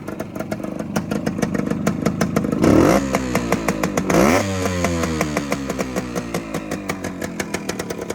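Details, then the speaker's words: 1972 Suzuki TS185 two-stroke after new top end, running 32:1 oil mix, slightly smoky: light idle snaps up cleanly on two quick throttle blips and drops straight back; revs quick and freely, healthy. "Oh yeah, this one's gonna be fun. Super lightweight, revs quick."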